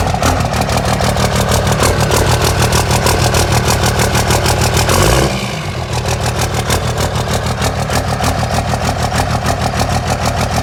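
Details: 2002 Ram 2500 24-valve Cummins diesel, 6-speed manual, first start after installing DDP 125hp injectors (Mishimoto aluminum radiator also fitted): steady fast cranking about five seconds, brief stumble, then catches and settles into even clatter; new injectors firing.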